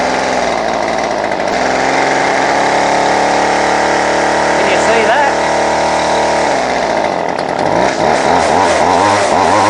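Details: Line trimmer (two-stroke) idles roughly, note wavering and sagging as if about to die; it cuts out and is then hard to start. Owner suspects a split paper gasket sucking in air; spraying around it makes the idle die down. Finding: rough idle and stalling.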